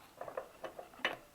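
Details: Engine with the breather cover off: sharp metallic ticking about five times a second as a loose valve adjuster lets the rocker clatter. Tightening the adjuster cured it.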